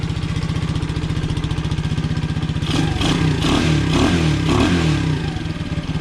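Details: Honda CT70 (Rocky Amigo 125) running cold after fitting a 26mm PZ26 carburetor, large intake manifold, 42mm pod filter and new fuel petcock: quick, even single-cylinder putter, then a few throttle blips rising and falling cleanly; running fine.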